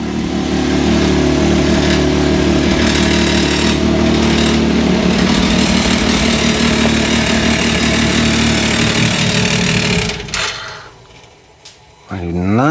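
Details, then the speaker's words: 2023 Can-Am Maverick X3 DS Turbo right after an oil change: on first start a rough, rattly clatter at about three beats per second rides over the engine, then it shuts down; the knock lasted about a minute and went away, cause unknown. "the way that sounded what was rattling let's try it again that sounds"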